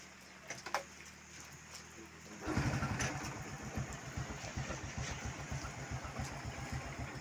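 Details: Honda Kharisma motorcycle after repair: a few clicks, then the engine starts and settles into a steady, even idle. It had been stumbling and fouling spark plugs because the fuel tap vacuum was leaking fuel into the vacuum hose.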